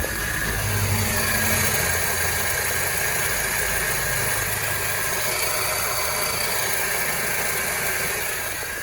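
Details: Peugeot 308 with a noisy engine: rough, busy idle with a quick uneven beat and a steady whirring on top, attributed to a noisy AC compressor.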